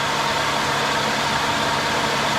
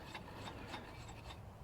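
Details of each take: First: Infiniti on a cheap-car repair. A harsh, gritty grinding roar comes from the front of the running engine, traced to a bad bearing in the A/C compressor clutch. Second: Infiniti car, engine off, serpentine belt removed, investigating grinding roar traced to A/C compressor bearing: first pulley spun by hand gives short soft whir, no grinding or roughness; healthy pulley bearing.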